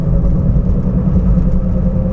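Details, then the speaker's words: 2011 Toyota Prius driven at 45–50 mph: low steady growl under tire noise whose pitch rises with speed and grows louder turning left, quieter turning right; worn driver's-side front wheel bearing (rear cover or bumper rubbing earlier suspected). "sometimes you go low speed you can hear the noise but it's not clear enough but when you go higher the pitch is higher and higher"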